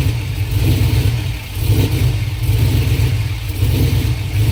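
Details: 5.3 V8 swap: a deep burble with an uneven, stumbling beat at idle and when revved, rough idle and misfire; fuel pressure is suspected, not confirmed.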